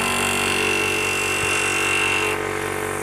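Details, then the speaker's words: PCP high-pressure air compressor (1300 W or 1600 W unit) running: loud steady hiss and clatter pulsing about four beats a second; normal compressor running, healthy units are very noisy. "suara memang berisik ya sobat ya kalau kompresor yang masih bagus suaranya itu mas sangat berisik sekali"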